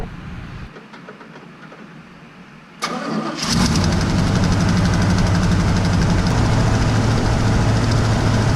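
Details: 1979 GMC C15 V8 just fitted with Edelbrock 1406 carburetor: brief cranking, catches cleanly, settles to steady even idle with no misses or knocks; healthy start.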